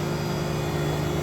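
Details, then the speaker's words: Walk-in cooler condensing unit after refrigerant charge adjusted, 7 degrees superheat: smooth even hum, steady low drone, no knocks or rattles; fan cycling on and off; running normally. "The fan cycle is cycling on and off. So it drops out at about 2:15 and it comes back on at about 2:30."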